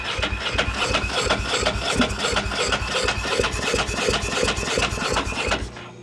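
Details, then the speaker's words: 2001 Ducati Monster 900 after sitting, fuel pump replaced and tank cleaned: steady starter churning about three pulses a second for six seconds, no firing; may need more gas, odd sound from tank, cause unconfirmed. Cranks but will not start. "Hard to say what it needs now because it could need more gas. It's like a weird sound coming out of the gas tank."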